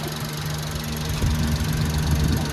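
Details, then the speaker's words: Newly delivered 4x4 unit idling: low steady rumble, even pulse, no knocks or rattles; engine described as very quiet, though said to need PMS to run smoother. "Yan guys, umaandar itong unit. Pero ang hindi siya maandar ba? Napaka ano, tahimik. Tahimik na kanyang makina."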